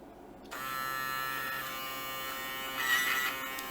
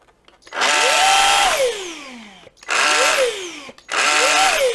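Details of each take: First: Samsung Jet 90 Pet vacuum turbo brush motor run on 15V bench supply: small DC motor spins up with steady even high whir, running normally, no knocks or grinding. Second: Samsung Jet 90 Pet vacuum, lightly used, turbo brush nozzle running with the brush removed: three short bursts of harsh, buzzy whir rising in pitch at start-up and falling away, traced to the turbo brush motor and gear drive.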